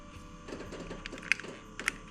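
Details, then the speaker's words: Nissan Gloria Y32 with ignition on, sticky slow-returning brake pedal: sharp irregular clicks about every half second in quiet cabin; owner suspects brake mechanism, unconfirmed. "There's a lot of clicking now. That's got to be the brake mechanism."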